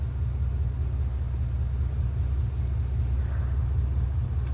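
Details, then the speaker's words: Dodge Dakota broken down after driving through a puddle: starts right up but in Drive with throttle runs very rough and won't move, deep uneven loping rumble; cause unknown, sensors unplugged. "I'll put it in Drive and give it gas and it just runs really rough and does not go anywhere"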